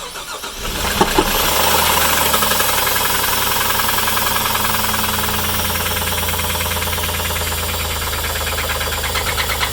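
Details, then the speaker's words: Loud, hard knocking about three times a second right after start, heavy over the idle and coming from one side of the engine. Thought likely a rod rather than a lifter. Rod knock. "Is that a rod? That's a rod. Oh. That's a rod. It is? Yeah. That's loud."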